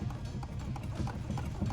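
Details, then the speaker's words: 2013 Nissan Qashqai 1.5 dCi, front driver's side: dull hollow knocks about three a second as the wheel is rocked, from play in a worn lower wishbone inner bush; passenger bush is also worn, so both wishbones are to be replaced. "you can hear it knocking. So there's no knock on the passenger side, but the bush is wore as well, and there is a bit of movement starting to come."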